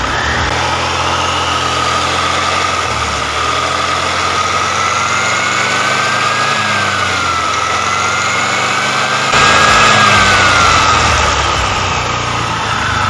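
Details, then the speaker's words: Carbureted Honda Vario 110 after a CVT upgrade: a high singing whine rises and falls with revs over the engine. It comes from new clutch linings not yet bedded in and should disappear after about 2000–3000. "yang suara sing-sing tuh nanti bakalan hilang pusingnya 2000/3000 karena bersuara dari partneran itu biasanya belum sesuai menjadi kayak ada suara suling"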